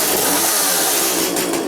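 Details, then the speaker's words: Chainsaw in for repair, test-run after work, noticeably better: loud steady high-pitched two-stroke buzz with only a slight dip in speed, running cleanly and evenly. "Fire him up here and just make sure that he's still good still. Oh, that's a lot better now."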